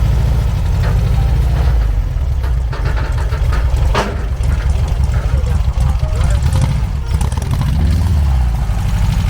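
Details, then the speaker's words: 1969 VW dune buggy, air-cooled engine sold as 1776cc, on new carbs: deep rumble stumbling and surging unevenly; misfiring, needs adjustments, carburetor jet clog suspected. "oh he's getting on it it's got some adjustments to do yeah it sounds like the carburetor is like a jet clog damn"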